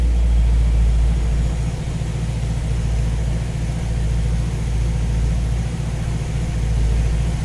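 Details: V8 with newly installed Ace's Killshot EFI and Blackjack distributor, timing set at 15°, idling while radiator is topped up with water; deep, even rumble pulsing about 3.5 times a second, smooth and unchanging; judged to sound pretty good.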